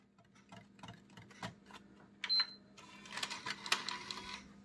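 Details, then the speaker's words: PS5 disc drive under repair with a disc inserted: scattered clicks and a short whir from the loading mechanism and laser, but no steady spin-up whine; disc not spinning, later found possibly inserted upside down. "again doesn't sound like it's spinning just here the laser"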